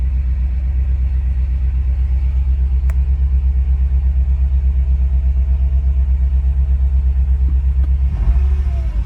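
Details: 2014 BMW M5 at idle: deep, uneven, lumpy pulse of about three beats a second that never settles; engine misfire.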